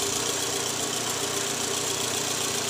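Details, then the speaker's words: 2012 Toyota Alphard ANH20 (2AZ engine), 101,000 km, after replacing a loose, worn balancer shaft: steady, even idle with only light valvetrain ticking and no rattle or knock from the oil pan area; normal idle after repair. "sekarang setelah kami menggantinya, suara mesin jauh lebih halus, Teman-teman."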